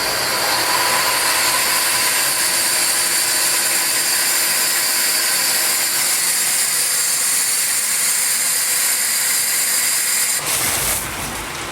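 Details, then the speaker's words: Cartridge filter refitted after cleaning, pump switched on manually: steady, sharp hiss of air escaping the filter's air bleed valve, dropping off as water arrives, showing the system is primed. Normal priming. "So when the water's coming out, that's when the system is all primed. You can hear the air coming out."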